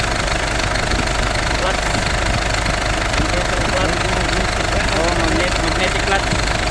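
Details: Idling engine gets noisy when the air conditioning is switched on: loud, rough idle with an irregular clatter through a dense roar. Cause unclear.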